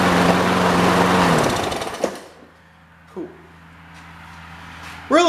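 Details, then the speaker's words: Trash-picked Toro Super Recycler push mower with Personal Pace self-propel, year unknown, first start test without the air filter assembly: it fires up with a loud, uneven chattering rattle over the engine note, then dies down; engine loose on its deck and needing tightening. "before I do anything, I should sharpen that blade, and I really should tighten down that engine."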